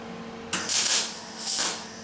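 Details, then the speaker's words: Welding repairs on a 1977 Camaro Z28 quarter panel and deck lid: the arc comes in harsh hissing bursts instead of a steady bacon-like crackle, and turning up the current didn't help; the cause is unknown. "I don't know what makes the welder do that you hear it's not crackling like bacon it's just kind of turned up the current that didn't help"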